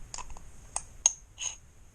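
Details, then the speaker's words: Zundapp engine gear cluster turned by hand gives sharp, irregular metallic clicks that shims don't cure; first gear is fitted facing the wrong direction, following the assembly manual's contradictory instructions. "So when I took this apart, the first gear was facing the other direction. And now I know why it was facing the other direction, because, of that sound."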